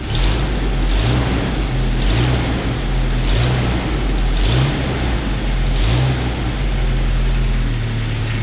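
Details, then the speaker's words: 1997 Jeep Wrangler TJ 2.5L at idle after timing chain and gear replacement: even, smooth low rumble, no knock or rattle; tapping under valve cover the owner believes is lifters. "it's running good engine is smooth"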